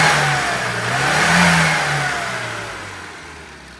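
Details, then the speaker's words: Mini after tune-up with new carburettor, modified ABX needle, 1040 oil in the dashpot, dwell angle and timing set, new coil clip: engine revs climb and settle evenly with no misses or hesitation; runs beautifully. "and this one runs lovely and you can see with a new carburetor this one runs beautifully so yeah very happy with that"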